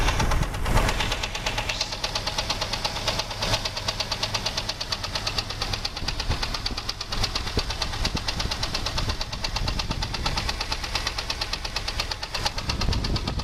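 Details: 2001 Jeep Grand Cherokee 4.0 straight six at idle: a sharp, regular knock about three per second that appeared suddenly after a 10-minute park. Loudest at the exhaust manifold–engine joint; valves, water pump and alternator checked; oil fine, no smoke; advised not a rod; wind on the mic; cause unknown.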